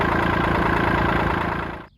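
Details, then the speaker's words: 1980s $500 boat's 125 hp four-cylinder two-stroke at an even, fast idle with a light loose jiggle underneath, then it shuts off; the output shaft rattles from missing bearings while the motor sounds solid. "it runs good I can definitely hear that output shaft jiggling down there but motor sounds solid that's the selling point right"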